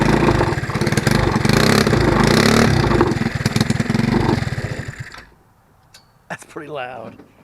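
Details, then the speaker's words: Go-kart (Yerf-Dog) small engine before the homemade brake-cleaner-can muffler is fitted: harsh, raw crackling exhaust bark with rapid pulses from an open pipe with no muffler, far too loud. "too loud I can't do that"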